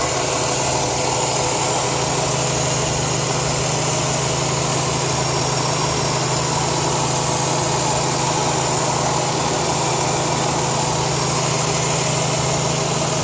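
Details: 2002 Chrysler 300M at idle: steady sharp hiss over a smooth even idle, air sucked past a failed intake manifold gasket (vacuum leak).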